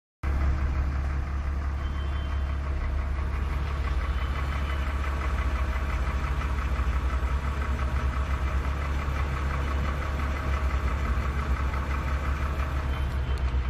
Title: E46 Engine Rattle Noise